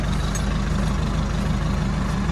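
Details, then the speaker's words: Nissan Navara D40 in neutral after replacing the failed, non-cranking starter: deep, steady idle with an even low rumble and no knocks or misses; runs smoothly with the new starter. "Oh man, sounds really nice with the newer starter."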